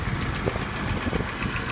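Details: 1983 BMW 635CSI manual, warm straight-six idling under the bonnet with fan replaced a couple of years ago and new plug leads: ticks over quietly and evenly, no hunting or surging; healthy.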